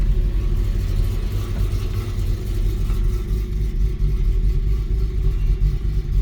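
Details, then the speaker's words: 2012 Infiniti G37 automatic towed in after another tuner's tune; it ran badly since and shuts off after driving. Deep, lumpy, choppy, cammy-sounding idle near stalling; it will probably die in 3–5 minutes. Rough idle from bad engine tune, possibly misfiring. "so after he told me that after he got the tune right after that the car just didn't run good at all and it shuts off and it sounds like it's cam right now"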